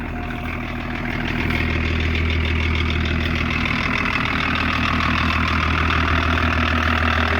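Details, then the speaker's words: 1984 Lincoln Continental with BMW-built 2.4 L inline-six turbo diesel and ZF transmission, claimed 70,000 miles, known charging issue: even, steady diesel clatter settling into a smooth idle after start, no knocks or misses; healthy. "good old diesel"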